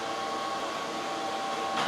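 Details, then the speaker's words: xTool P3 CO2 laser engraving after replacing a cracked leaking water tank; exhaust fan on, steady even fan rush with light whirr, no rattles or alarms, no error, tank holding water, running normally. "I didn't get an error notice it's engraving right now it's gonna do a cut here after it's done doing this"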